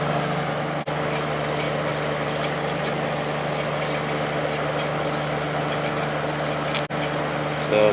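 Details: Late-90s Whirlpool Accudry 40-pint dehumidifier (reciprocating compressor, likely Embraco, Emerson fan motor), running open after evaporator fins combed: steady, even hum and fan whoosh at constant pitch, no clatter or squeal; coil cold top to bottom; runs normally.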